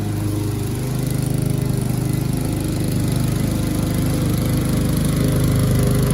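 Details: Curbside-rescued MTD mower cutting grass after an engine-speed increase and oil change, still with no air filter; even single-cylinder putter with a firm low tone holds under load; owner suspects earlier smoke came from tipping and overfilled oil; normal running under load.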